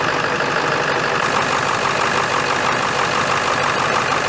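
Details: 2001 Ford F-350 dually 7.3L diesel after replacing the high pressure oil line feeding the injectors: starts and settles into an even idle with steady clatter and no misses or knocks, and no oil leaking; runs healthy.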